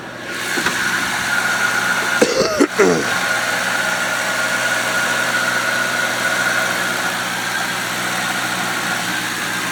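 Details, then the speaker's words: Town Car V8 idling after starting on one of its three keys; it goes into gear with no problem. A smooth, steady, even burble with a brief handling clatter early on. Healthy, normal idle. "so the car's got three keys in it so car's running like a champ"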